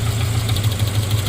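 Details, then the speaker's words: 2009 Subaru Forester 2.5 at idle, cylinder-isolation test: with the back cylinder's plug wire (number 3) pulled, the sharp knock disappears, leaving a steady loping beat; the rod knock is on cylinder 3. "It turns out it's this one back here, which is let's see, 1, 2, 3, number 3 I believe, on this side. Well, it's the back cylinder."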